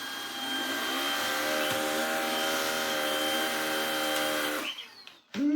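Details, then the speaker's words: Worn, used Shark cordless vacuum on battery (dropped one bar): steady even hum, clean high whine, no rattle or surging, then winds down; motor healthy. "Marvelous. That works too. So, the battery does work, although it has just gone down one bar."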